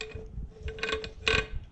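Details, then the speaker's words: 2002 Mini Cooper S R53, removed stock supercharger turned slowly by hand: rough, gritty grinding bursts from the gearbox by the water pump mount, driven by the serpentine belt pulley, over a faint hum; cause not confirmed. "that grinding noise. So located, this is where your water pump attaches on a stock R53 Mini Cooper. So there's a gearbox inside of here."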